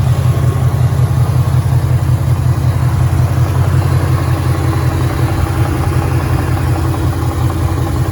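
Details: 2013 Ford Mustang GT 5.0 Coyote V8, manual, 81,500 miles: loud lumpy idle with a steady low knock about two to three per second from the engine area, worse after driving, and the car stalls after long drives; owner suspects rod knock.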